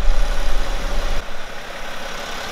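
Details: BMW E61 530d M57N 235 hp diesel at 232,000 km, after broken timing chain repair, rear bumper missing; deep even diesel clatter at idle, steady, no rattles or chain slap, sounds healthy.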